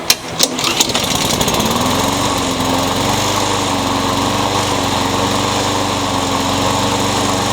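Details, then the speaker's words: Honda-powered Craftsman single-cylinder mower, carburetor already cleaned without fixing it, before new carburetor fitted: pitch climbs and wavers instead of holding steady; engine surging, cause suspected carburetor. "you can hear it surges I've already claimed the carburetor and it didn't fix it so I bought a new on"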